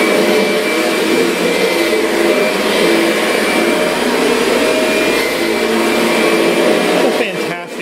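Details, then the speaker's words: Kirby Sentria vacuum after impeller replacement, loose carpet having stalled the brush roller: steady even motor roar with constant high whir, no rattle or surging, running normally. "though yeah this thing is doing a great job up mess I made"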